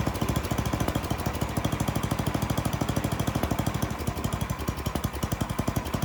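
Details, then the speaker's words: Troy-Bilt (Garden Way) snowblower, Tecumseh 10 hp single-cylinder with new carburetor, during high-speed mixture adjustment: leaned out it ran badly, then backed out until too rich; uneven popping beat with wandering engine speed as mixture changes. "I did the high end first. I leaned it out and it really started running bad. So I backed it back out and I kept backing it out until it actually ran too rich."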